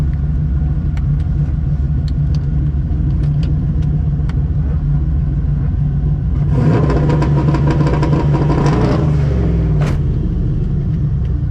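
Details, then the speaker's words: Ethanol-fuelled turbo street car on 10 psi boost and 235 street tires, 1/8-mile launch off a two-step at 3,000 rpm switched from spark cut to soft cut: steady burbling on the limiter, then a clean pull with no chugging or bog. "It doesn't bog there. Still a terrible lead. Felt a little bit better, but there's no way that's under 2 seconds still."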